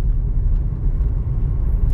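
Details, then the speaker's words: Toyota Corolla at 100,000 km, road test after correcting wrongly assembled front shock mounts and wrong-size stabilizer bushings: only smooth steady road rumble, no clunks or knocks over bumps; the suspension noise has stopped. "certo senhoras e senhores eu sou capaz de afirmar para vocês que parou hein"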